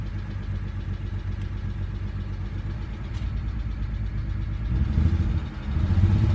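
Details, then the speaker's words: BMW 135i E82 N54 after engine rebuild, P0306: uneven lumpy idle with irregular stumble about once a second, surging on blips; cylinder 6 misfire, owner suspects an old ignition coil. "so misfire cylinder 6 seems to be a big problem for now"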